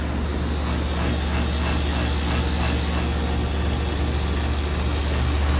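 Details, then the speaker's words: HVAC outdoor condenser, compressor running: steady low hum with an even compressor drone and fan rush, no clanks or squeals. The line is cold and sweaty, not warm, though the unit vibrates badly; it seems to be working fine. "It seems to be working fine. The line's cold and sweaty."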